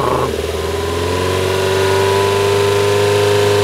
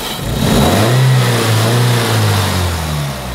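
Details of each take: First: 2002 Toyota Corolla 1.6 L, 81 kW, idling and blipped: steady hum with short bursts of tinny metallic buzzing as revs rise; loose heat shield plate rattling, fixable by adding a screw. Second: 2002 Toyota Corolla 1.6 L, 81 kW, after a screw added to tension the rattling sheet metal: engine revs up and settles back with an even, smooth low note, no rattle or buzz; sounds healthy.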